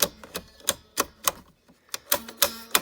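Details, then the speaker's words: Electrohome portable record player after cleaning and lubricating the motor and drive: sharp, dry clicks about three a second with uneven gaps from the changer lever assembly; unsure whether normal, left alone. "it's it I don't hmm I don't know if it's supposed to sound like that or not viewers I really don't know but it does oh by gosh by golly it most certainly sounds like that"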